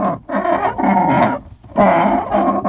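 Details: GMC Yukon XL, 6 liter, door swinging: two long, loud groaning squeals about a second each; hinge still squeaks despite heavy spraying of lubricant; door hinge squeak.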